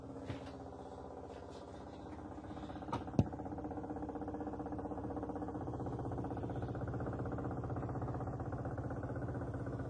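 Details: Neighbour's washing machine heard through the wall, 10 Feb 2024: muffled low rumble throbbing about four times a second, like a heavy spin cycle, loud; cause unclear.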